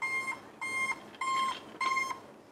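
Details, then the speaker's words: Zhiyun Weebill 2 gimbal at first activation power-on, no camera mounted: four short even beeps near 1 kHz, about one every 0.6 s. Beeping is attributed to an axis being locked. Gimbal warning beeping at power-on. "you can hear the beeping noise because the axis is basically locked"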